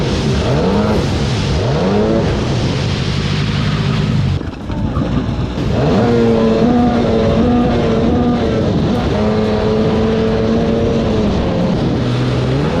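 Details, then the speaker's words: 1995–96 Sea-Doo XP 800 two-stroke (X4 hull) coming in, rough and uneven, not firing on both cylinders; cause looked like a blown exhaust with the hull filling with water, a popped flush line found. "I was coming in to get my helmet and Jason came in on this and I could hear it was not quite firing on 2."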